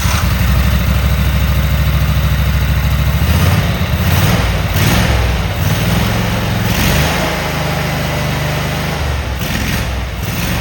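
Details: Cub Cadet Super 2284 lawn tractor, test firing after earlier run, rear cover off: deep, steady twin-cylinder thump holding an even idle with a couple of light revs; no misses, sounds like a good runner.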